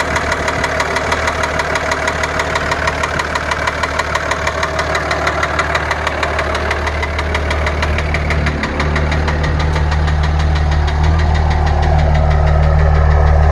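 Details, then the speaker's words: Early 2003 Dodge Ram 2500 5.9 Cummins diesel (250 hp), after overheating and water pump replacement: sharp, even knock about three times a second over steady idle; owner hopes it is an injector, unconfirmed. "I think it might be the bottom in might be the injector find out"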